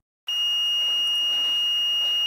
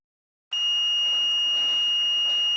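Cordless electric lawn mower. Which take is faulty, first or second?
first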